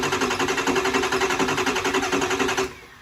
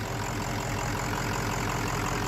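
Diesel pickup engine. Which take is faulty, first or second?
first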